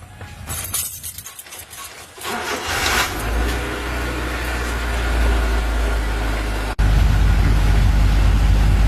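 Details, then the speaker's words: 1996 Honda Civic petrol at normal operating temperature (gauge at half), idle stays high around 1,100 rpm and never drops, even with A/C on; fast steady idle, before idle air control valve replacement. "Ang problema nito guys, mataas yung minor niya guys, kahit nasa tamang operating temperature na siya guys."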